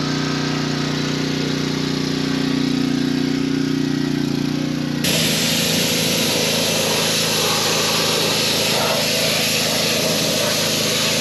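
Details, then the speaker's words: Pressure washer with replacement pump (4-bolt, 3/4 inch shaft): small engine holds an even hum, then steady spray hiss as trigger opens around five seconds; runs properly after the repair. "All I know is right now it's working."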